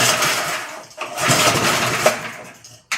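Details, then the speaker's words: 1979 reel mower with Briggs engine, unknown condition, no air cleaner, being started on choke while priming; catches in uneven bursts, sputters, nearly dies and refires; rough running on choke, mixture still needs setting. "Let's choke it. See what we get. It's going to take a little bit for it to prime itself."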